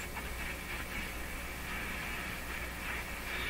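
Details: Hallicrafters S-40A shortwave receiver with no antenna, during power line filter capacitor experiments: constant hiss with a faint raspy buzz on top and no station coming through. Sounds like interference signals, source unclear.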